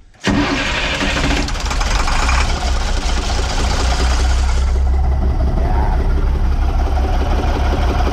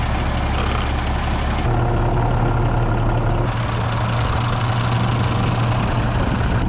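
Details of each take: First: International DT466E dump truck, started with valve cover off to unplug injectors one by one; number two injector's tip broke off: heavy uneven idle with a rough diesel knocking beat, caused by the failed injector. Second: International DT466E dump truck diesel just after replacing the failed #2 injector, whose tip had broken off; the hand primer never got hard: deep, steady rumble with no stumbles, knocks or rough patches; normal smooth idle.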